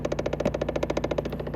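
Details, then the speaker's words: 2010 Chevrolet Impala, key on and engine off, DTC B0223: rapid light clicking from behind the glove box from the failing recirculation door actuator. "now i turn the key on just so i can get the noise again i can feel it's this one back here it's definitely this one"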